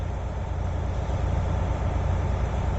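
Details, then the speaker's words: Air brake inspection on a diesel truck idling as both tanks reach 90 psi; 50–90 psi build took 1 minute, under the 3-minute limit. Steady, even diesel idle with no knocks or leaks; normal air pressure build-up. "So it should be under 3 minutes. So they are both at 90 almost. Yep, they are 90."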